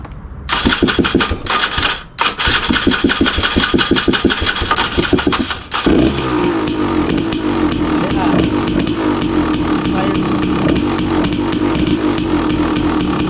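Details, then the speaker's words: 2016 KTM 300 XCW two-stroke, cold, choke off, after installing new starter on charged Tusk lithium battery: brisk, even cranking about five seconds, then catches and settles to steady ring-ding idle; turns over faster, normal cold start. "Cold. It's never done that before. It definitely turns over faster."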